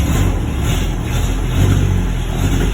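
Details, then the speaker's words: 1949 MG YT in garage, cold start after sitting overnight, electric fuel pump, choke pulled, gearbox in neutral: catches after about three cranks, then low, steady rumble; normally takes a couple of pulls cold, starts and runs as it should. "three and it started it'll take a couple of three pulls normally when it's cold like this overnight or or even for a week or two but it's fine to start cars never fail to start"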